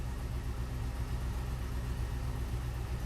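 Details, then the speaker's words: 2005 Chevrolet Tahoe V8 after fixing crank-no-start (wiring harness rubbed through by driveshaft U-joint, blown PCM1 fuse; wire spliced, zip-tied): starts, low quiet even idle, no knocks or misses; check engine light remains (P0449 EVAP vent). "Let's see if she'll start. Looking good so far. She started."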